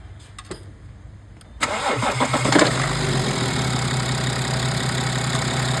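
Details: BMW F10 with N57 diesel, after pump injector fault repair and fuel bleeding: short crank, catches quickly and settles to an even, steady idle with no stumbling; healthy start.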